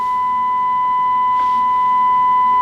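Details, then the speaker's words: Kenwood TS-950S transceiver whose main receiver has an intermittent fault: a steady 1 kHz, 5 kHz-deviation test tone at 300 mV input comes through only faintly over hiss, and the S-meter barely responds; receiver insensitivity. "you can hear it 300 millivolts we have an S meter that's very insensitive"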